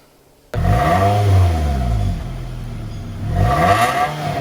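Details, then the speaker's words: Toyota Camry, 2.4 L naturally aspirated inline-four with 5-speed automatic, older car, exhaust revs: two clean blips rising and falling smoothly with no knocks or rattles; exhaust dry, no smoke or burning oil, runs perfectly fine. "exhaust is all dry, no smoke, and no burning oil. A car this age, but everything is running perfectly fine."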